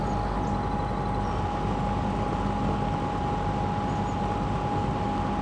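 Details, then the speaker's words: Lakewood P25 metal-blade fan, bought new around 2009-2010, barely used, in a window and heard from outside. A steady whoosh with a clear, constant metallic mid-pitch tone from the blades; running normally. "You just hear that metallic metal. It has that 60s metallic sound. You know, it's borderline sounds like an alien. It's just so cool."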